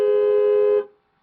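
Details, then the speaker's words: 2009 Buick Lacrosse horn cycled on and off by an Xtool D8 scan tool body control module actuation test: one clean, steady horn blast under a second at constant pitch, then it cuts off; the horn responds properly. "let's see what we'll do horn because you should be able to hear the horn i'm gonna hit on off"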